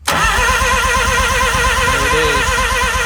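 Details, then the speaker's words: Mazda RX-7 rotary, starter disconnected, engine turned by remote controller with key on, spark now reaching coils and distributor: steady starter whine, fast even cranking for three seconds, never fires; cranks but no start. "okay so we're somewhere now there's spark happening when Daniel has the key turn and I'm cranking it"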